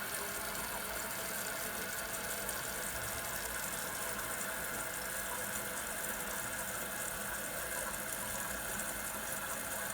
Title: 马桶不时发出噪音？3块钱让尖叫嘶叫的马桶安静下来 How to stop toilet hissing noise with 3$